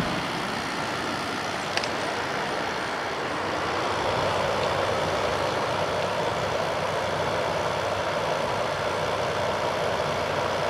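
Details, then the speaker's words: 2000 Quasar Cool Look HQ2061FH 6000 BTU window air conditioner running on cool: steady even rush of air with smooth background hum, no rattle, squeal or cycling; runs really nice, exactly like the Panasonic version. "So this runs really nice. It's exactly like the Panasonic."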